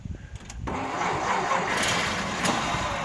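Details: Frame-off restored 1931 Chrysler Series 70 rumble-seat coupe with rebuilt engine, oversized pistons, rebalanced rotating assembly and Tillotson carburetor: a few uneven cranking beats, then catches and settles into a steady, even idle; normal start.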